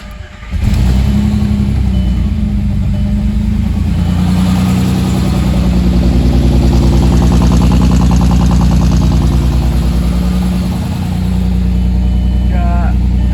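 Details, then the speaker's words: Rebuilt VR6 with new water transfer (crack) pipe, first start after install: brief crank, catches at once, strong even rumble with light blips, burning off residue; normal start and run. "Sounds good. Just burning off everything."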